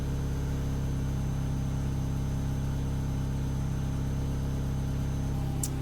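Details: 1994 Mazda Miata NA after replacing failing fuel pump with Deatschwerks DW200 255 LPH pump, idling to check for leaks: steady, even idle with smooth low hum, no dips, misses or hunting; running normally, no leaks.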